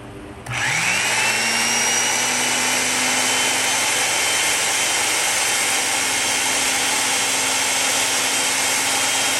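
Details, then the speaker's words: Van Dorn electric drill, at least 74 years old, running after cleaning and fresh grease during restoration: a steady, even whine with no grinding, quieter than before and speeding up slightly as the grease works in; normal running. "does it's uh a little quieter and not quite as loud you could hear it speed up just a little bit as the grease gets worked in"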